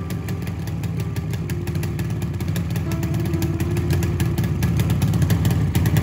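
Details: Yamaha RD 350 two-stroke, first kick-start cold after rebuild: uneven, lumpy popping at low idle with smoke; it needs tuning, and the owner suspects adulterated petrol with a pesticide-like odour.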